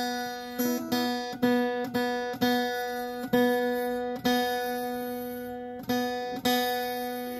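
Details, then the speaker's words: Acoustic guitar's B string plucked repeatedly, each note ringing with a thin metallic rattle; sympathetic buzz not present on other strings. "you hear that metallic rattle let me go ahead and play another string that isn't doing that so that you can kind of compare the two"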